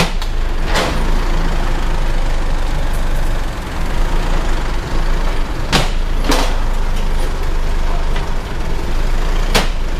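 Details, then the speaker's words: Isuzu MU-7 after driveshaft cross-joint (U-joint) replacement and new centre support bearing, truck rocked at idle: steady low hum, only faint isolated taps, quiet. "ได้ยินอยู่บ่บ่บ่ได้ยินก็ไปว่าเงียบกิ๊บหาย"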